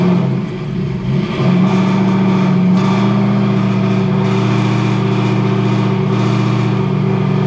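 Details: Ford Crown Victoria ("VicZilla") with swapped 7.3L Godzilla V8, started on booster at 68°F ambient: strong, even rumble settles after a brief catch, smooth and steady, no knocks or misses; alternator from a 6.7 then charging 14.8–14.9V; normal running.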